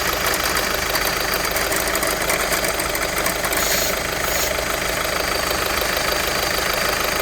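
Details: VW 1.6 TDI (Touran/Golf/Polo) diesel at idle: uneven rattly chatter over the diesel clatter from a worn accessory belt tensioner pulley.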